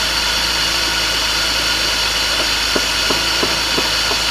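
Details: 2000 BMW E36 318ti Compact just after a swap to an M52tuB28 2.8 Double Vanos inline-six. Steady, smooth idle hum with even firing and only faint occasional ticks. Sounds settled; normal idle.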